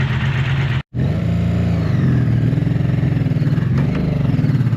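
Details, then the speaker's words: 1984 Honda V65 Magna VF1100C barn-find motorcycle: uneven, lumpy, stumbling beat while revving. It ran fine for 10 miles, then on the next ride power dropped steadily and it felt like it was on one or two cylinders. Misfire, cause unconfirmed. "it just feels like I said when I was riding it it just dropped lower and lower and lower on Power and it definitely felt like it was only running on one or two cylinders by the time I got back"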